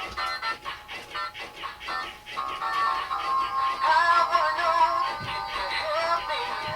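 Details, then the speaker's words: Big Mouth Billy Bass after replacing 4 nearly dead batteries that caused the stuttering: song plays cleanly with steady motor clicks, tail moves better, no skipping; head still won't come out. "you can see, his tail is moving a lot better. And he's not skipping anymore. So that was definitely our problem."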